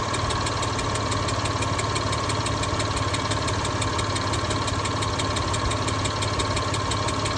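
Steady idle with a fast, even ticking riding over it, roughly three a second, plus a faint hiss; sounds like a lifter or valvetrain tick. Cause suspected, not confirmed.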